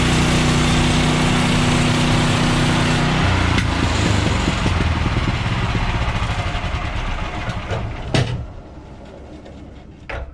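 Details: Bandsaw sawmill cutting 3/4-inch by 6-inch boards after the blade was refitted, having jumped off its bandwheels from too much Pine-Sol and water lubricant. Steady engine drone under a smooth, even blade rush through wood, easing as the cut ends; normal cutting.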